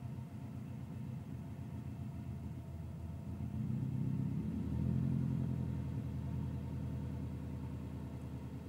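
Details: Subaru STI after installing a 20G-XT turbo, bigger injectors, new turbo inlet and a limp tune: low idle rumble swelling and sagging unevenly when stopping or after revving stationary; idle hunting, owner suspects a vacuum leak.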